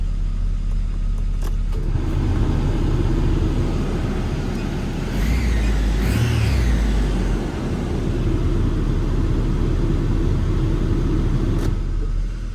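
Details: Nissan Frontier idling with air conditioning on after alternator belt replacement to cure a startup squeak: smooth, steady idle holds under the AC load with no squeal or chirp; belt and engine sound healthy.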